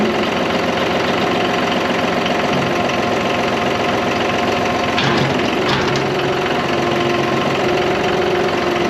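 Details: John Deere 5203 diesel tractor with 512 loader, 740 hours, which had a hydraulic issue and milky oil: after an oil and filter change, a steady, even diesel clatter holding one speed with no misses or knocks. Running healthy, fixed.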